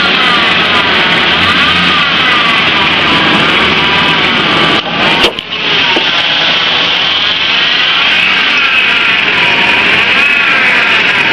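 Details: Ford Ranger engine running: loud, high-pitched serpentine belt squeal or chirp that rises and falls with the revs as the belt slips; owner suggests belt dressing applied pea-size to top and bottom of the belt.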